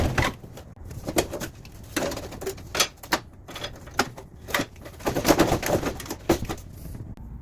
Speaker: if you have a Mana unit that squeaks every time the blower wheel stops like this one here it's probably the blower wheel bearing